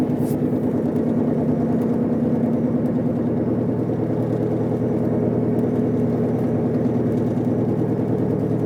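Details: Car driving with a rough, droning, grinding whine that gets louder on acceleration and vibrates the whole car. It started the day after the wheel bearings were replaced and is silent when braking to a stop. Cause unknown.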